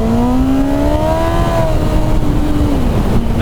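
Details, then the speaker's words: Kawasaki ZX-9R, about 24 years old, under full-throttle acceleration: engine revs climb and flare while road speed lags, the likely original clutch slipping after wheelie practice. "you guys see that did you hear it yeah that my friends is the clutch slipping on this motorcycle and it's all my own fault"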